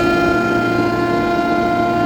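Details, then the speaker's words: Commercial kitchen exhaust fan, found switched off and turned back on after checking nothing was stuck: constant loud high-pitched screaming whine with several steady tones over fan rush; technician says the motor is starting to go bad. "It was making a loud screaming sound, the motor. And I know that sound. It's the motor starting to go bad."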